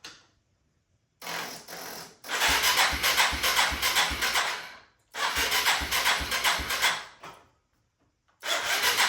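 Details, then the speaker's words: 1997 Yamaha Timberwolf 250 ATV, choke on and carb cleaner sprayed in: three spells of brisk starter cranking, each a few seconds long, with no firing. The spark check found no spark because the run switch was off. Cranks but no start. "So, it doesn't seem like it wants to go. Let's go ahead and pull our spark plug out and see if we have spark on this machine."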